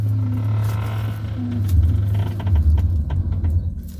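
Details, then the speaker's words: 2012 Toyota Corolla XEi 2.0, recorded inside the cabin while unwinding the steering: dull clicks and light knocks over a low rumble from the worn strut mount bearing; replacing it with an original part with a new bearing fixed it. "Olá pessoal esse barulho do chá que anda acontecendo é aqui ó barulho vocês podem ver que ele vem na parte da Torre aqui é o que é o é o rolamento e do coxim"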